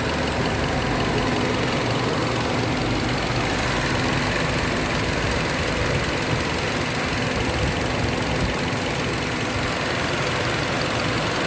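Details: Car engine idling with an uneven, stumbling beat under a hissy background: a misfire traced to an air leak at the intake manifold.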